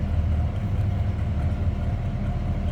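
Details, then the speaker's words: 1971 Chevrolet C10 Cheyenne Super V8 truck heard from the rear: deep, smooth, even exhaust burble at idle with no ticks or misfires, a mild, non-obnoxious exhaust, healthy running. "Nothing crazy over the top as far as exhaust or anything obnoxious there. Just nice sounding truck."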